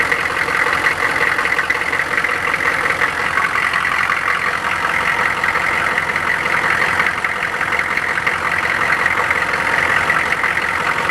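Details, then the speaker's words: K2500 truck at 283,000 miles, warm diesel idle after a cold crank: a busy, tinny rattle over the clatter, suspected to be a small exhaust leak or something loose in the exhaust (unconfirmed). The fuel pump is clicking. "rattle rattle I hear [Music] it rattle rattle rattle runs pretty well for 283,000 miles"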